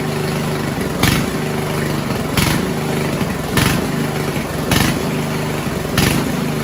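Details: 1970s Roper 1032 snowblower, probably 10 hp Tecumseh, first run on repaired carb with JB-welded bowl: idle swells and sags about every second, steady rhythmic surging; lean carburetor hunting.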